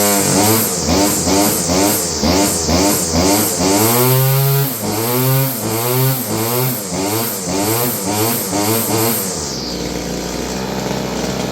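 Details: Roughly 30-year-old Stihl FS56 curved-shaft two-stroke trimmer hunts up and down about twice a second, then sags and dies away, seemingly running out of fuel. It is surging and fading; dirty fuel and air filters were found.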